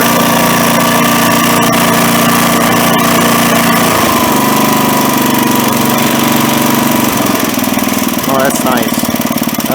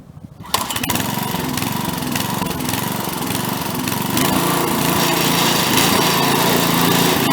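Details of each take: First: Craftsman tiller with a small single-cylinder engine, after resetting the carburetor screw about 1.5 turns out: a steady, even beat at idle with no cycling or surging, running much smoother; normal idle. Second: Craftsman tiller: it catches, then cycles badly with uneven speed as the governor kicks in and out, before a carburetor screw adjustment; engine surging, cause suspected but not confirmed.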